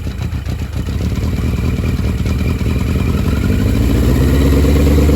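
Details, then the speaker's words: Barn-find motorcycle on choke, running from an auxiliary fuel tank to bypass the faulty main tank: rises from a choppy start into a strong, steady beat on all cylinders, no misses or knock; much smoke. "But she has no problem running on all cylinders. Sounds good, looks good."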